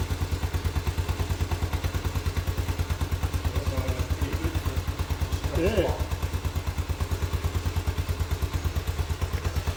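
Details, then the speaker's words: Postie bike single-cylinder after new Lambda MC carburettor and swapped fuel cap to cure flat spots, first start, idle not yet adjusted: steady thumping about three beats a second with brief clatter midway; sounds fine. "That's not bad. We haven't even adjusted the idle yet. Might just knock it up a little bit in speed."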